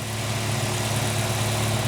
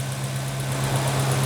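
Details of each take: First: 2007 VW Gol G4 1.0 8V Flex (EA111), about 61,576 km, idling: faint, even, rapid knock for about two months after switching to 5W-40 synthetic; persisted after lifters, rockers, pumps and injectors were replaced; cylinder and wrist pin clearance: piston slap. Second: 2007 VW Gol G4 1.0 8v flex, after changing from 5W40 synthetic to thicker 10W40 semi-synthetic oil: smooth low idle, lower-engine cylinder/piston-pin clearance knock gone, only faint light ticking remains.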